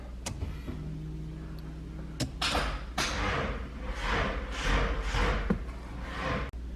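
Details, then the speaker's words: Nissan Skyline R32 GTR after fuel filter replacement and priming: several clicks, then a sluggish whirring crank of about two pulses a second that never catches. The battery sounds low; the owner suspects a power drain. "if it fires up that battery sounds a little bit uh on the low side yeah lame the good old charging station I'm thinking we got a power drain somewhere"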